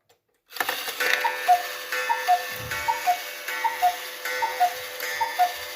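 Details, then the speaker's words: Restored Hubert Herr Black Forest cuckoo clock, movement adjusted and oiled, temporary pendulum: even paired ticking about 76 a minute with a faint steady whir; the striking train still makes a noise while running. "Yeah, I still can't get rid of that noise made by the striking train while running."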